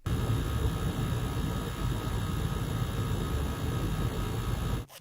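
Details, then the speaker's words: PlayStation 5 console: steady low buzz with faint thin high tones like an old refrigerator; suspected coil whine, console was returned to Sony; not confirmed. "now some may say that sounds like an old refrigerator and I agree but it sounded a little bit like coil wine"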